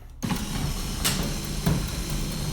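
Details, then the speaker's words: Automatic garage door opener after tightening the loose door spring; it used to stick halfway up: steady low motor hum with light creaks as the door rises. The motor is no longer struggling. "definitely feels a lot better it's uh you can actually uh hear that the motor is not struggling on the way up"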